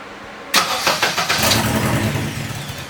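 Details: K24-swapped Subaru BRZ, first startup attempts; sudden starter engagement then uneven cranking pulses that briefly pick up as if firing; the engine almost catches but does not run; extended cranking, nearly starts.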